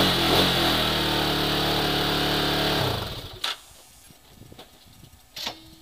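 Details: Hawk 250 after a kick start at 20°F runs with a quick, even popping beat for about three seconds, then shuts off; nothing rough or knocking, a normal cold idle.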